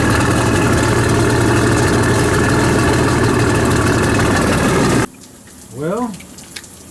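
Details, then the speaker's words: Shoal Runner jet boat engine running on a hose after rainwater flooding and storage: loud running with a steady knock about four per second, then it cuts off. The owner suspects the pump-drive u-joints or a seizing front shaft bearing and thinks the engine is fine; unconfirmed. "it's either the u-joints and there's a bearing in the front of the shaft it sounds almost like that bearing could be seizing but i'm not really sure"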